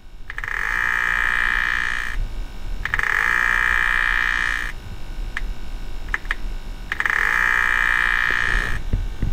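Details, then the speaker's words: BMW with radiator fan stuck on high, cold engine, coolant full, in water pump vent mode: repeated croaking buzz bursts of about two seconds with short pauses, no coolant from the weep hole; failing electric water pump needing replacement. "so the pump is trying to pump our coolant level is full but we have no coolant coming out of the weep hole this car is going to go ahead and need a pump"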